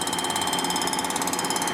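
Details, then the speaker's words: Warped 1957 Harley Panhead cylinder head with a blown head gasket being milled flat: rapid, regular chatter over a constant ringing tone as the cutter hits only the raised spots of the uneven head; interrupted cut on warped surface. "your head appears to be uneven"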